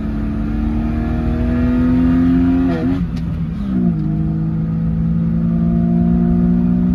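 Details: 2004 Jeep Grand Cherokee 4.0 inline-six with THOR cold air intake, after a new Flowmaster muffler and tailpipe replaced the rusted-off straight pipe: deep, even note that swells on revs, dips, then settles smooth; normal exhaust note.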